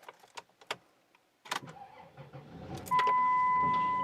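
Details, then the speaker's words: Van with badly drained battery on a hot day, jump-started with a Cen-Tech 750 peak-amp jump starter after about 7 minutes connected: quiet clicks, then cranks, catches and settles into a steady idle; started successfully. "And we got it. So it did the trick, and yeah, it worked. Okay, so the van is running, that's a good thing."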